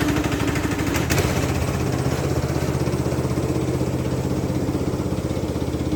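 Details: Free Craftsman LT2000 lawn tractor, parked about 6-8 years, running after cleaning solenoid and ignition switch connections: smooth, regular low putter at steady speed with no knocking, misfire or hunting; normal running.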